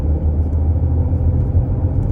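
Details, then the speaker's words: 2007 Range Rover L322 4.2 V8 supercharged, 16 years old, heard from inside while driving and accelerating: deep, smooth low rumble with no knocking, whine or misfire stumble; healthy engine. "Oh, listen to that engine. How stunning. So as I've got you here on camera, I am just going to accelerate and hopefully you'll hear the engine."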